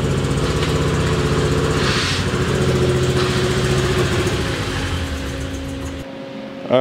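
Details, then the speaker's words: Honda Accord after a leakdown test with spark plugs refitted: lumpy, uneven hollow beat about 220 a minute, engine running on only two cylinders; rough running misfire, cause not yet confirmed. "get it back out into the driveway you guys ready to hear two cylinders of Honda Fury"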